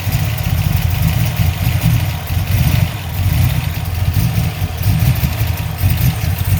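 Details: 347 V8 with misfire; lumpy, uneven idle with a deep exhaust beat stumbling irregularly every second or so; owner suspects a vacuum leak, cause unclear.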